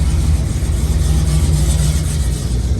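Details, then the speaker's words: Square-body Chevy C10 truck ("Dale") with EFI, boosted: a steady, even low rumble with no misses, knocks or hunting once it catches; normal running. "all right so we've got both vehicles started"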